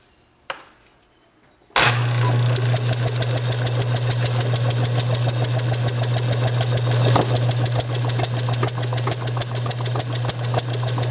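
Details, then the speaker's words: Bessemer model engine motored by an electric motor on a test bench, using a carb and tank proven on a vertical single, with Hall-sensor spark at about 5–10° before top dead center: sharp pops about 3.5 a second over the motor hum. It fires intermittently but won't run on its own. "I wanted to post this video of my Bessemer model I'm still not able to get it to run but it is firing anyway"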